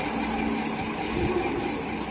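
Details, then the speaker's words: Ceiling fan that runs but with a loud, steady rough roar like a flour mill, faint hum underneath, far noisier than normal; grinding inside the fan, cause undetermined, imbalance or rotor to be checked. "लेकिन इस condition में चल रहा है यह देखिए अब कि ऐसा लग रहा है ऐसा लग रहा है जैसे हम आटा चक्की चल रहा है"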